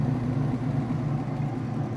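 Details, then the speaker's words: Whirlpool direct-drive washer in its final spin after draining, speeding up as more water is extracted; a steady low hum with no banging or scraping; smooth, normal spin. "It's still getting little bits of water out as it speeds up. So the more water that's extracted, the faster it'll go."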